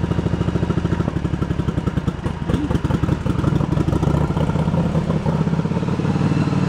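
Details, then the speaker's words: 1986 Yamaha Virago 1100 V-twin, after sitting years, running to burn off deposits before carb adjustment: both cylinders fire steadily with even lumpy beat and light clatter; front valve clearance set a little loose, carb bowl gasket leaking. "I gotta adjust the front valve, which is easy. I can get to that anytime. The front valve, when it's cold again, I got a little on the loose side because I was chasing a problem, but nothing should affect how it runs."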